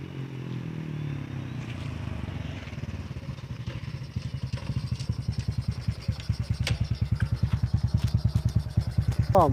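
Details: Honda Wave 125i with a fuel pump that would not run, after the owner replaced the part he suspected was shorting to ground. The single cylinder catches and settles into a steady, even idle with no misfires, running normally.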